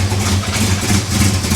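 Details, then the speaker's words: 1974 Chevy El Camino V8 after freeing stuck baling-wire throttle: low, slightly lumpy idle with soft uneven beat, running better but still loading up rich; choke still mostly closed. "oh she's still loading up bad though okay well it's a start she is running better the choke's probably still closed mostly"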